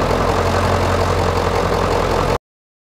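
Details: 1996 Ford F-350 7.3 L turbo diesel, started after several glow-plug cycles, during a belt-driven vacuum pump delete (replaced by an electric pump, shorter belt): steady, even diesel clatter with smooth low drone, no misses or odd knocks; idling normally.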